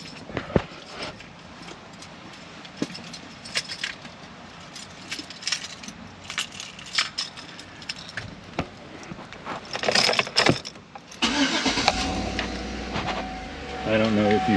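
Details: Chevrolet Tahoe with a new AutoZone battery (12.64 V, dropping to 12.27 V with headlights on) after the GM dealer said the old battery was bad; brief healthy crank, quick catch, steady idle: starter and battery fine.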